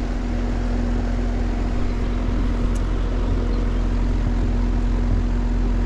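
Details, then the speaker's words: Outdoor condenser unit on a no-cooling call (thermostat set 67, reading 87): steady low hum with one brief bump as if trying to start, then no run-up; compressor seized, humming but won't start. "that sounded really weird like it bumped one time like it tried to come on"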